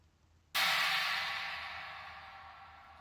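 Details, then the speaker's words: Sabian AA 19-inch Holy China cymbal after crack repair: a single bright, trashy hit fades evenly with no buzzing; the rattle is basically gone, except slightly from one small crack whose ends were drilled. "So the rattle's basically gone. The only rattle remaining is from that small crack which I did the ends of."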